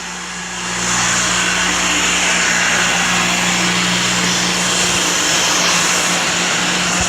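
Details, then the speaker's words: Homemade shop fan driven by an old inground pool pump motor, three blades, caged, owner-wired cord: spins up within a second to steady roaring air rush over constant motor hum, very fast; smooth healthy running. "actually became cow it's spinning very very fast yeah actually does run"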